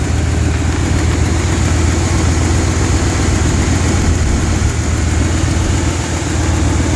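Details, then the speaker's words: 2005 Lincoln Aviator with 03/04 Cobra engine swap, 156,000 miles, stock exhaust manifolds: steady idle, revving slightly high, with faint uneven ticking over the low rumble, milder on this side; exhaust manifold leak tick. "can hear the tick on this side, too. See, you hear it on this side, too. Not as bad, but it's there."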